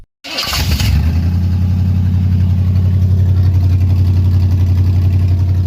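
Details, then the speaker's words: 1957 Chevy 210 with swapped 350 Vortec V8, first start, untuned and untimed; catches after short crank and settles into steady even lope with no knocks or ticks: normal idle. "I haven't tuned it or timed it or nothing, but sounds good."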